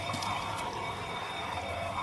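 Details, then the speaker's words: 2008 Chevy Suburban, front wheel raised and spun by hand: steady gritty metal-on-metal scrape with faint ringing and occasional squeak; brake pads worn, likely the inner pad, louder on one side. "I just get it off the ground and listen. And spin the tire, you can hear metal on metal."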